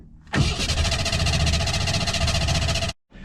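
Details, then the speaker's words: Ford Bronco trail rig that wouldn't start, fresh battery, air filter removed, gas poured into intake, throttle held fully open; catches into rough run about 2.5 seconds then dies; fuel starvation suspected: engine fires briefly then dies. "got a little bit a little bit of fire and it's firing as I let off get the throttle all the way open"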